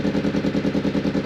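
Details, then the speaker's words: Newly bought motorcycle started up around 8 a.m. with a blowing exhaust that makes it sound wrong, yet no rattles are audible and it is fairly quiet. Rapid, even chuffing at idle with a breathy edge on each pulse; exhaust leak. "I suppose last thing I'll do for you is start it up, but the blowing exhaust means it doesn't sound like it should."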